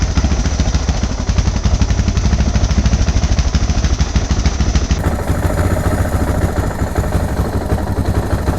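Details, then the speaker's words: Suzuki DR650 single-cylinder at idle with surging and a slight miss, while adjusting carburettor mixture screw around 2 turns: uneven thumping that quickens and picks up as the screw goes in; owner suspects leaning out. Idle speed rising with mixture adjustment. "Yeah, because then once you screw it in more, you can hear it really pick up. I wonder if it's leaning out there."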